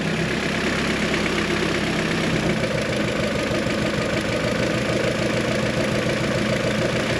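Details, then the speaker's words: Tuned G23BK engine with H22 transmission, idling with the cooling fan off: fast light ticking over the engine, unchanged when one cylinder's ignition wire is pulled; source of the tick unknown. "the fan is off and you can still hear that ticking sound"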